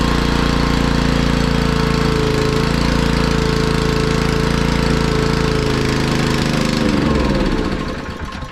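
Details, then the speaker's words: Honda EG1900X generator with Honda GX140 engine, stored over 10 years, fuel left on with stale fuel, before carb cleaning: chugs unevenly about four beats a second then winds down; runs only on choke, rough running. "so it's only running on choke which is expected I mean that fuel is pretty Grim so that doesn't surprise me really but it's run"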